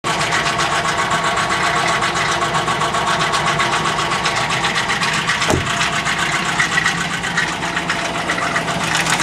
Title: RED ford knocking noise